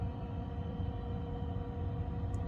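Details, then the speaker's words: Second-hand Eberspächer D2 Airtronic diesel heater in a campervan at 1.5 amps, glow plug off, battery back to 12.5 volts: steady even low rumble of the fan with no misfires or knocks, warm air coming out; running normally. "I can just hear the fan turning over nicely now and as I lean down I can feel warm air coming out so it looks like it's working"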